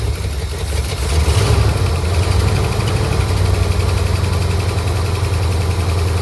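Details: 1967 Ford Galaxie 500 V8 sitting since 2008, first run after revival: deep, uneven, lumpy, wavering idle with no steady rhythm; rough idle expected after sitting so long, but it ran fairly well and the fuel pump works.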